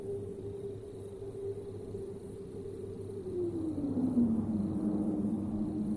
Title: Airbus A320 howling noise caused by the FOPP while reaching approach altitude after descent